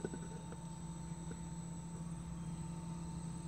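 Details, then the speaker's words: Inverter refrigerator converted to conventional operation, in the cooling cycle with the timer vibrating: low, steady hum with a faint constant tone and slight vibration buzz, no clicks or rattles. The compressor is running normally. "Kalau dengan demikian ini kompresor hidup guys, kompresor hidup, kompresor hidup guys ini ya, ada bunyinya guys ya, ada bunyinya, kompresor hidup guys."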